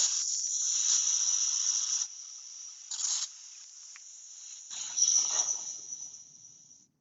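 Loud, steady high-pitched air hiss with a few short bursts, then fading out; full-flow air rushing through the vacuum generator.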